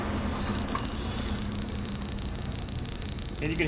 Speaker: this whistle making a noise so that is our low pressure warning our low pressure warning goes off at five hundred or less psi